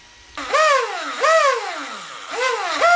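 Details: Traxxas Sledge RC car motor after replacing the motor bearings (part 3483R): clean electric whine rising and falling with quick throttle blips, no coffee-grinder grinding or shaft clicking.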